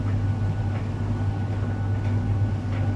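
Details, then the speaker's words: Arçelik 3891 KT A++ 9 kg heat-pump dryer on cotton cupboard-dry program: deep even hum, no knocking or scraping, occasional compressor sound; normal running hum for this dryer type. "arkadaşlar çamaşır kurutma makineleri mutlu çalışabilir yani Uğultulu çalışıyor normalde sadece bu makine için değil diğer kurutma makinası için de geçerli"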